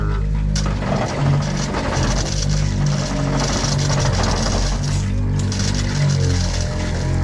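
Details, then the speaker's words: Fish-box pump on a 2024 Hewescraft 270 Alaskan with twin Yamaha F200s, building pressure: a steady, low motor drone at an even pitch with no rattle or surging, running normally. If it ran without the trigger pressed, that would mean a leak. "Now, that noise you hear there, that pump, now say that was turned on and you heard that without hitting the trigger, that means you got a leak somewhere."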